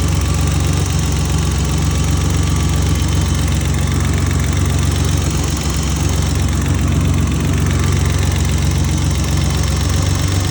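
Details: BMW M30B34 engine at idle: light, fairly even tick about four per second over the engine hum; owner suspects lifter tick.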